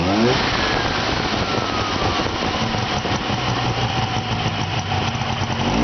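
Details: 1970 Subaru 350 Young twin after its second rebuild; an earlier strange noise was traced to a loose pulley. Steady, even idle on both cylinders with no misses, ticks or knocks; running normally.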